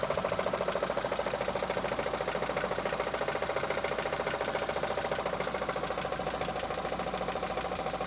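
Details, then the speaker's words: 2005 Mitsubishi Lancer 9 petrol engine, 276,000 km, idling with a steady, sharp knock about three to four times a second; seems to come from the timing belt area and is felt at the throttle body, cause unknown. "В общем, проблема Lancer 9, 2005 год, пробег 276 тысяч. Вот такой стук. Что может быть?"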